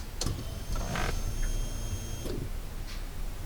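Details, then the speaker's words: 1991 Honda Prelude that stalled and lost revs on deceleration from a clogged fuel strainer. After strainer cleaning, with the pump cover off, key-on gives a faint steady hum for about two seconds: normal fuel pump priming. "now as i turn the key around we'll be able to hear the the pump go especially now that i've got the cover off it so i'll flax the camera that way that's the pump running"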